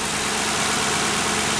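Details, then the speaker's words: 2009 Ford Crown Victoria Police Interceptor from government auction, idling: smooth even V8 idle, no shake or stumble, light steady ticking from fuel injectors up top, which is normal; healthy engine. "Now this is how a Crown Vic engine should basically sound. It should be smooth. It shouldn't be vibrating."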